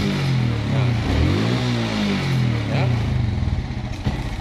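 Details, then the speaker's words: Suzuki Smash motorcycle, neutral light dimming and brightening as throttle opens: engine stumbles and stutters, revs rising unevenly then sagging; misfire from weak spark. "seperti kekurangan api ya tidak mau dicas"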